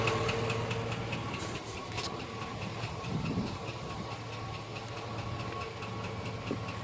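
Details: 2005 GMC Sierra truck idling with a light, steady tap-knock about three to four times a second; engine knock, cause not stated.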